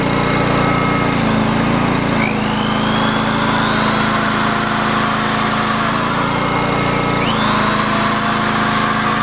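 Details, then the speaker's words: Old Honda generator salvaged from the dump, after repair: steady, even engine drone with a couple of brief pitch shifts as it settles under load; generator runs smoothly. "Well, we got it all working. You know, that was a little bit more easy than I expected."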